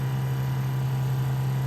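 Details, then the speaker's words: 1968 Plymouth Barracuda drag car fuel pump after adding a return line and Moroso fuel log for the 850 carburetor, pressure just under 6.5: smooth, steady, quieter low hum with less vibration and no surging, healthy. "That's so much nicer, quieter. There's off. There's on. I even feel like it's vibrating less."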